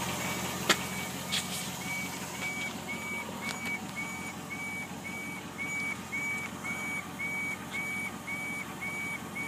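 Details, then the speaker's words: 2002 Jeep Grand Cherokee, 191K miles, beeping only on mornings for 3–5 minutes: a clear high-pitched beep just under twice a second from near the fuel tank at idle; owner suspects the fuel pump, and points to an EVAP P0442/P0455 forum fix. "all right this is a noise my 2002 GRE Grand Cherokee's [Music] making definitely seems like it's coming from around a fuel tank probably the fuel pump"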